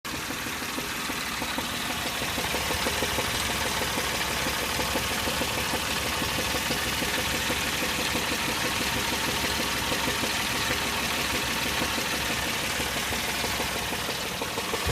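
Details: 2003 Chevy Tracker (Grand Vitara) petrol engine idling: low-pitched, hollow knock underneath that doesn't keep perfectly consistent time; cause unknown.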